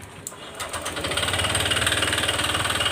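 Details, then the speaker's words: Honda Click 125 scooter at 160,000 km, panels removed, throttle blipped lightly before repair: sharp metallic knocking about four a second, steady with idle; connecting rod knocking inside, to be fixed by replacing the crankshaft/rod assembly. "เราต้องเบิ้ลหน่อยๆเบิ้ลแบบนี้นะนี่นะเบิ้ลเล็กๆนะเสียงก้านด้านในมันเขกนะครับ"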